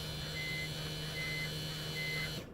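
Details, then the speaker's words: 2001 BMW 330Ci E46 after installing a new eBay fuel pump, key to accessory: steady even electric buzz of fixed pitch for about two and a half seconds then cuts off, absent before; normal fuel pump priming. "So yeah, listen to this buzzing sound now. That sound was not coming before."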